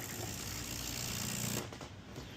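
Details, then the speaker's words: Breville Barista Express BES870XL espresso machine, newly installed water pump tested before screws go back: steady low buzz with rattly hum for about a second and a half then drops away; vibratory pump priming normally. "Now I'm going to test it to make sure it works properly before I put all the screws back."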